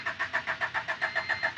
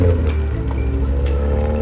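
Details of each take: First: Honda EF Civic after work including a replacement intermediate shaft: starter churns at about seven even beats a second and never catches; no fuel yet in the fuel filter, needs priming. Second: Honda EF Civic with new Ksport coilovers on test drive: pitch climbs smoothly through revs, turning harder and sharper up high; normal VTEC engagement.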